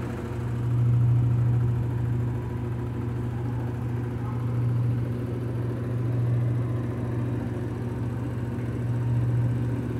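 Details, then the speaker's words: GE Adora washer (owner mentions its direct drive) at full-blast spin: steady low motor hum swelling gently every couple of seconds with the drum load, shaking and vibrating but no knocking or grinding; normal spin cycle. "oh Mommy it's ramping up there it goes shaking it's vibrating have a setting on full blast so so it's really going to do it there it goes"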